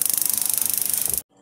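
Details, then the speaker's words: Floor-standing gas boiler that tries to start but locks out after a few seconds with a red light. Fast, crisp ignition snapping between the two electrodes for about a second, then it stops dead. It sparks but the burner doesn't light, although gas could be smelled. "un bruit d'étincelle entre les deux électrodes qui normalement doit enflammer le gaz, alors du gaz j'ai senti qu'il en avait."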